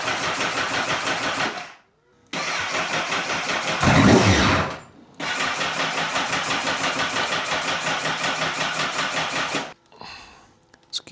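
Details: 2009 Honda CBR1000RR bought with unknown condition and not running: the starter turns the engine over about three pulses a second on two tries but it never fires. It cranks but does not start.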